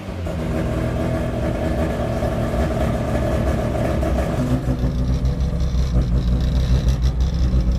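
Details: Freshly built rotary Miata after first start: revs smoothly then drops to a choppy, pulsing rotary idle that holds steady; running good, under 150 degrees, about 78 psi oil pressure, good vacuum.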